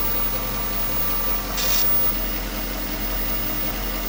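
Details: 1998 Jaguar XJ8 (X308) V8 after a cold start, upper secondary timing chain tensioners replaced earlier: steady idle with a short static-like crackle every couple of seconds, new in recent weeks; owner fears the timing chain, unconfirmed.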